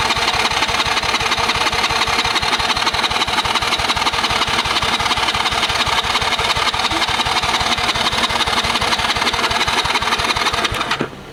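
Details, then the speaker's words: Cheap Chinese kids quad, sat for years, fuel poured down the carburetor after a failed bump start: even starter chugging at about three per second for eleven seconds, never firing. Cranks, won't start; possibly flooded, carb may need cleaning. "Nada. Okay. Try putting some more in there. Nope, not too much more, but I might have flooded it."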